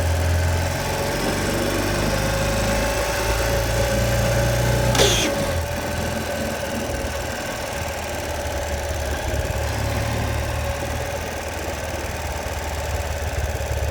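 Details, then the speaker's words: Ural Patrol motorcycle idling after riding from TX to SD: steady whine and light rattle when the clutch is pulled in, going away once released; no clutch slip and gears shift fine. "Gears shift fine, just makes that horrible noise when working in the clutch."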